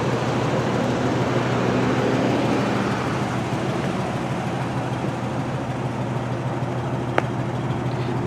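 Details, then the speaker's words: 1985 Buick Riviera, factory Olds 307 roller-lifter V8, carbureted, cold start; replaced factory-type exhaust with factory-type cat and Walker turbo muffler; steady, even low idle hum, no ticks, knocks or exhaust puffs; runs nice and quiet, normal idle. "Runs nice and quiet. It's a factory exhaust system."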